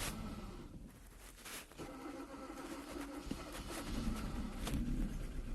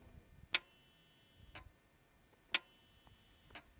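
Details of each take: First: 2014 Kia Cerato, previously overheated and cranking without starting: starts after cranking and runs faint and uneven with irregular stumble; clear misfire, intake cam actual 12 vs desired 25. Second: 2014 Kia Cerato, no-start after overheating, intake oil control valve (VVT solenoid) running after cleaning: crisp sharp clicks about once a second, alternating strong and lighter as it opens and closes; normal solenoid operation.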